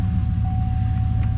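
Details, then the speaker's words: 2003–06 Chevrolet Silverado 1500 4WD with 136,840 miles, just started: deep, smooth V8 rumble at steady idle, no ticking or knocking, faint belt tone; sounds healthy. "Let's go ahead and fire her up. See what she sounds like. Oh yeah, got a nice little rumble"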